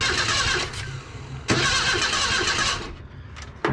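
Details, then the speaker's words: Junkyard 1977 Datsun 710 wagon with no spark; the points are opening and a dirty connection there is suspected, so they try jumping across with a screwdriver to arc the coil. Starter cranks in uneven bursts and the engine never fires. Crank, no start, no spark. "probably a dirty connection right in there we should even just be able to jump across there with a screwdriver and arc that coil off and we're not doing nothing"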